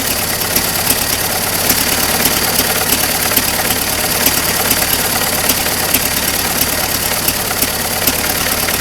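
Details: Circa-1927 (year uncertain) Ford Model T pickup barn find, first start after sitting over 25 years; components cleaned, only fresh gas and crankcase oil. Loose, rattly idle a bit over two beats per second, uneven but steady; runs fine.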